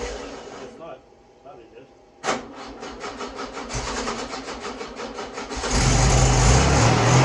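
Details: Freshly rebuilt VW Beetle 1641cc dual-port engine, first start on the floor: it cranks evenly, catches cleanly and runs strong and even, with no ticks, taps, knocks or smoke. The fuel pump was earlier suspected weak.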